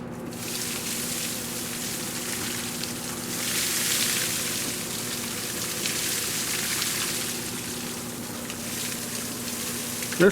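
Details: Shop-built cyclone dust collector with the new 2.5 HP DC motor on a speed controller, running at absolute minimum speed with a gate open to a vacuum hose: steady airy rush with a faint low hum, even throughout and smooth.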